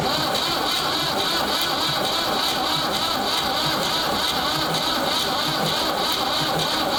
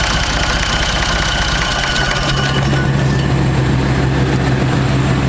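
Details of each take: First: Ford 3600 tractor after a second CAV injector pump rebuild, fuel reaching the second injector: the starter whirs with a labouring beat that slows as the battery fades; weak battery, no start, battery put on the charger. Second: Ford 3600 tractor diesel after a second CAV injector pump rebuild that freed gummed plungers, restarting on its own: it cranks, catches within a second or two and settles to a steady, even idle; normal diesel start and idle.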